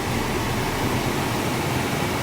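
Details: 2002 Toyota Corolla with a stable idle, AC switched on and cooling ice cold quickly. A steady, even rush of air with no squeal, rattle or cycling; blower and compressor run normally.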